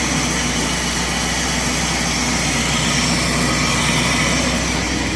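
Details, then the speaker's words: Engine after modifying headers and replacing gaskets to cure exhaust leaks: even, steady engine note with constant roar and no ticking at idle; normal idle, leaks fixed. "No more exhaust leaks. She sounds good. She sounds a lot better. No more tick, tick, tick, tick, tick."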